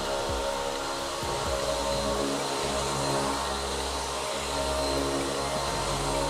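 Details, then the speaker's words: DRYFT floor scrubber after fitting a softer suction/tank seal to cure poor drying and liquid thrown out the sides: steady, even suction motor roar with no surging or dropouts as the seal pulls down; the suction is running normally. "When we turn on the suction, you'll see that the seal pulls down, and then we'll give it a go and you'll see it's fixed the drying problem."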